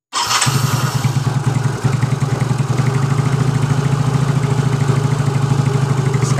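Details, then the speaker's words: Yamaha Mio J scooter with dead electric starter, after fitting the replacement part: brief starter whirr, engine catches at once into even steady idle, earlier tek-tek clicking gone; normal electric start. "lagi kita kunci kontak on dan dengarkan di bagian ini suara yang cepat di bagian ini pun sudah tidak ada ya teman-teman"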